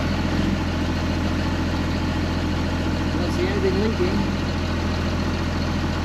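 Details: 2005 Ram 2500 diesel after the FASS lift pump and fuel lines were replaced, run to clear up the engine with no leaks seen: an even idle clatter with a steady low drone and no stumbling or misfire. A smooth, normal idle.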